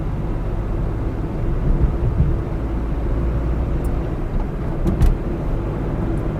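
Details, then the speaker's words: Used car test drive past 80 km/h under acceleration: engine drones smoothly and evenly, still pulling with pedal pressed, no knocks, misses, shaking or stability problems, amid road and wind noise; healthy engine. "देखिए बराबर pickup ले रही है गाड़ी। हम 80 cross कर चुके हैं, लेकिन किसी तरह का कोई इसमें ऐसा नहीं लग रहा कि गाड़ी आउट ऑफ कंट्रोल हो रही है, स्टेबिलिटी का कोई प्रॉब्लम आ रहा है। गाड़ी एकदम स्मूथ अच्छे से चल रही है।"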